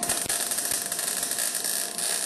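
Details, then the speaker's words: Eastwood MIG175 welder, about .030 wire, C25 gas around 15 CFH, welding a cart: hissy uneven arc with scattered pops instead of steady frying crackle; wire feed speed set too low, better when raised. Wire feed too low. "didn't feel right. That didn't feel the same at all. What gives? Oh, the wire speed was a little lower than it was."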